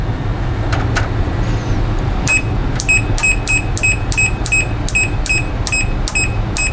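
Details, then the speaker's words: Relay removed from a Rotel RB-1092 Class D amplifier (powered, not in protection, no output) checked on audible continuity: chirps in short bursts about three times a second only while tapped; intermittent contacts, relay bad, to be replaced. "it works when you tap it just like when I tapped in the amplifier came on for a little bit but this relay is not good"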